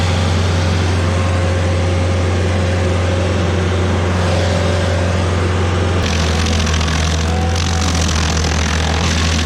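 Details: Stump grinder with freshly rebuilt engine (new rings, cleaned piston), first job grinding a willow stump: steady low drone holding firm under load with a small pitch dip; oil on heat shield later burnt off; normal running under load.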